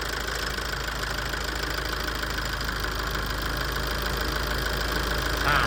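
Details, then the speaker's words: Tata 2.2 common-rail 140 hp diesel dump truck, after injector cleaning and coding and injection-quantity adjustment, fixing a long-parked no-start: steady idle with an even low beat, the earlier loud rattle gone, running smoothly. "นิ่งแล้วเสียงดังกาวาวหายไปแล้วนะฮอันนี้ค่าการฉีดน้ำมันเรียบร้อยแล้วนะ"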